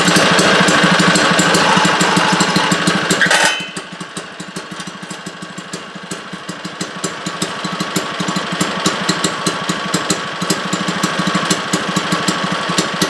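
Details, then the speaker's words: Legend Force lawn edger that wouldn't start after sitting, choke on, fuel and oil present, restarted after repair attempt: loud run drops to a slow, uneven putter of about three beats a second that never picks up; still rough running. "That sounded promising. That was better. Didn't come to complete uh full action though, did it?"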